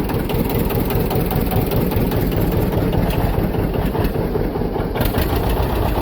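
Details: John Deere 730 diesel, rebuilt water pump, first start in about 8 years after sitting in a shed, clutch engaged and pulling hard: deep, steady, even thumping with a strong low beat, no knocks or rattles; healthy normal running.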